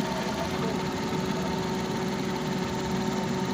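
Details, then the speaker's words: 2020 Suzuki DA63T truck with heavy engine shaking: low, uneven idle with a shaking throb and faint irregular knock. "oh nanginginig o nanginginig sobrang nginig mga boss at Ah yun ang concern na mayari"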